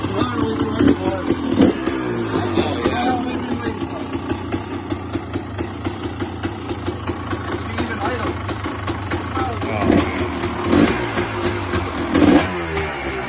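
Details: 2006 KTM XC-W 300 big-bore two-stroke, first start after a full ground-up rebuild, started without choke: crisp clean blips around a steady idle. Normal revving.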